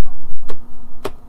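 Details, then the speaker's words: Old 40 MHz 386 build booting from a 5.25-inch 360K floppy: steady low drive motor hum with two sharp head-step clicks about half a second apart as MS-DOS loads; normal floppy drive boot. "well that sounds like das loading to me huh well that's pretty cool yeah that's definitely ms-dos starting very familiar sound"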